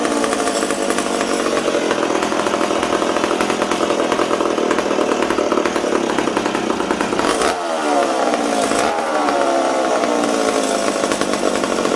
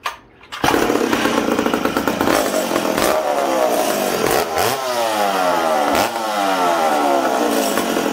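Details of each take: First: McCulloch Super Pro 70 chainsaw after a fuel tank repair and carburetor re-tune from a too-rich setting: clean, steady high-pitched scream, dips briefly twice and picks straight back up; runs crisp. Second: McCulloch Super Pro 70 chainsaw just reassembled after a fuel tank repair, run indoors on 45:1 mix: revs sag and climb unevenly, blubbering and struggling to clean out; too rich because the low-speed jet was set 1¼–1½ turns out, tuned for −20°.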